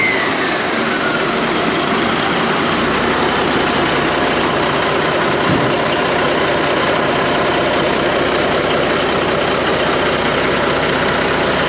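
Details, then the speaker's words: Diesel truck engine refired in the shop with the valve cover off after a slight knock traced to fuel. Even, heavy rumble at steady speed with no distinct knock; running normally. "I was a little late getting in here with the camera. Got the valve cover off, and it lives again."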